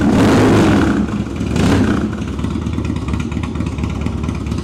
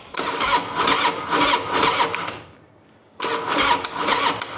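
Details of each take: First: 1999 Harley-Davidson Dyna, carbureted 88 cu in Twin Cam V-twin, choke out, cold start on a jump pack (weak battery) with a newly fitted Sawicki Speed exhaust: catches, blips hard twice, settles into a lumpy, even idle with a deep note, normal. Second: 1999 Harley-Davidson Dyna, carbureted 88 cu in Twin Cam V-twin, fuel on and choke out, cold start with a new Sawicki Speed exhaust: starter turns it over in slow, labored pulses, then stops; weak battery, so a jump pack is needed.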